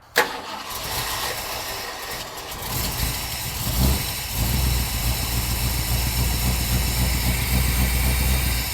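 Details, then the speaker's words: Ford OBS Bronco, likely 302, with a starting issue, fired up after wiring modifications and idle reset: starter spins briefly, engine catches cleanly and settles to a steady, slightly lumpy low idle; starting circuit now works. "And we're going to see how she fires up now with our wiring modifications."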